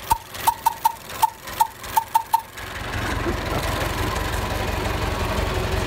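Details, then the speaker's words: Vintage Ford parade car, sat outside under trees then cleaned up: run of sharp irregular cranking pops, then the engine catches and settles into a soft, steady idle; healthy start. "sure L we will fire it up and you can hear that little engine come to life"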